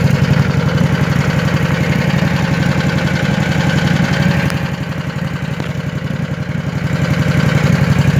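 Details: Scag V-Ride mower engine idles rough and uneven with a dull lumpy beat and occasional popping misfire, yet sounds fine at wide-open throttle; fuel filter not full while running, owner unsure if related.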